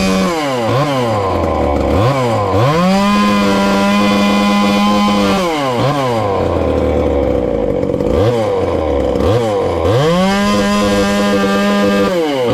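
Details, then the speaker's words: Ported little 2375 chainsaw, still on its regular fuel and nearly out, before switching to methanol: several throttle blips, then a clean steady full-rev scream and drop to idle. Healthy, slightly rich. "that's not too bad and she's still fat and happy there but i believe we get that alcohol in it um should turn on up a little bit"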